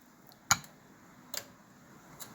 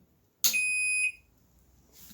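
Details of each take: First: Microwave oven switched on after storm, fuse gone, mica screen noted as needing to be clean: only a dry mechanical tick about once a second, no hum or magnetron buzz; oven dead from a blown fuse, no power. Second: Microwave after fitting a new fuse (only 7 amp fuses obtainable) following storm, switched on at the wall: single clean high beep about half a second long, then quiet; control board powering up normally.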